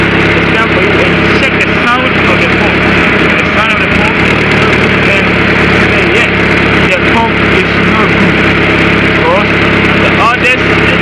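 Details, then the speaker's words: Engine idling with a loud, steady whirring whine while steering stays hard; failing power steering pump that needs replacing. "then the pump the St is still hard and the p is taking sound that me your p is not good that you need to change it out"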